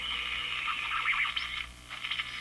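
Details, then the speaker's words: Canadian Crosley Model F-5 radio being recapped: wavering high whistle from the speaker, shifting pitch as the dial is tuned; suspected heterodyne from IF signal feeding back, decoupling capacitors suspected, not confirmed. "It's more of a whistly sound, isn't it? That's what we're hearing."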